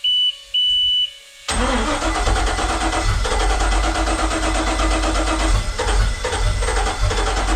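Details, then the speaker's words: Volvo Penta 5.0 GXi at 21° coolant and 12.1 V, plugs dried, fuel pressure lower than the earlier 40–50 with a different regulator. It starts after warning beeps, stumbles, runs a bit better than before, then stalls. Plugs expected to be wet and black; excess fuel suspected. "I tell what to say started seemed to run a little bit better than before"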